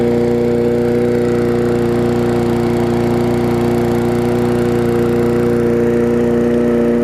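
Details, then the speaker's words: Sycamore 19-inch push mower engine moved onto an aluminum Craftsman deck, with spilled oil still burning off. Steady, even buzz at constant pitch with no misses or knocks: running smoothly and healthy. "runs pretty good, so just like it did on the Sycamore mower. So there we go, running great."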